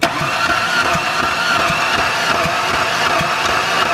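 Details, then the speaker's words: 2004 Ford Ranger Tremor cranking during a compression test: slow, uneven cranking with soft pulses about eighty a minute over a steady hiss. A cylinder reads 50 psi, below the 80 minimum; a cracked piston and scored cylinder are suspected. "yeah oh yeah 50 psi man it won't start on 50. you 80 is the bare minimum yeah 50. dude it's not it's not going to start not even worth it"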